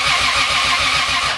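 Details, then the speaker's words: Big-turbo Lexus GS300 first start after a year and a half down: starter cranks evenly and fast for about 1.5 seconds without catching; no spark because the coil packs were not installed. "Oh, I didn't put the coil packs in. This fool."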